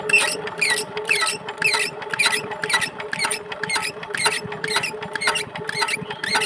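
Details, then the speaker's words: Chinese 4 hp diesel engine, injector nozzle opening pressure being set off the engine after plunger and fuel pump installation: sharp crisp pops about two per second, each with a short squeaky chirp, the nozzle opening cleanly. "তো finally বন্ধু আমরা নজেলের pressure বাইরেই setting করে নিলাম। এরপরে কিন্তু আমাদের engine start করার পরে কোনো রকম আর সেটিং করতে হবে না প্রেশার।"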